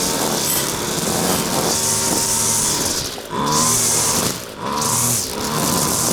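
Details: Husqvarna two-stroke trimmer after carburetor clean and reassembly, test run without air filter: high buzz revs up and drops back cleanly several times, steady at top, no bogging; runs properly, high needle maybe needs slight tweak.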